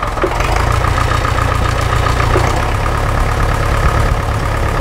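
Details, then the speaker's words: Massey Ferguson MF-35 tractor diesel engine, first run after frost-damage engine rebuild, warmed to about 70°C, no leaks: steady even diesel clatter with a smooth low rumble at idle, no misses or knocks, running just fine; normal idle. "all right well she is doing real good I haven't seen any leaks so far so and now she is at around 70 degrees centigrade so that's just perfect working just fine"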